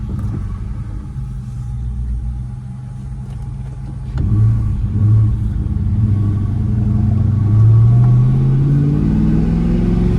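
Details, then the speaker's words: Ford Mustang GT (New Edge), 75,000 miles, after pushing a loose piece in the window regulator back into place: while pulling away and accelerating, steady engine and road rumble with no door rattle; the rattle is fixed. "But let's go for a drive and you can hear the noise is gone. Perfect."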